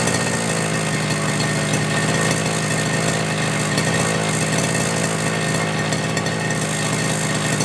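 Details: FG Marder petrol RC car, two-stroke engine, run the day before and started without choke after a couple of primes, following front-end repair and brake/throttle linkage adjustment. Even, high-revving drone holds its pitch without stumbling; it runs well tuned.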